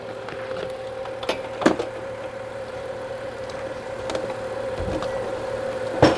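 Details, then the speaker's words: 2015 BMW 640i after replacing a defective battery that caused an intermittent no-start, check engine light cleared: quiet, even petrol idle with a smooth, steady hum and no knocks or misses; normal idle. "Yeah, this engine sounds good. Wow, very nice."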